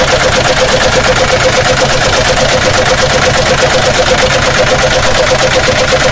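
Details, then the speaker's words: Chevrolet Omega running with the valve cover off after a water seal replacement in the engine block: a hard, regular knock about three beats a second; a broken connecting rod is suspected, with marked parts found. "então provavelmente ele quebrou biela aí pode ver que tá tudo marcado cabeça do que estão aí"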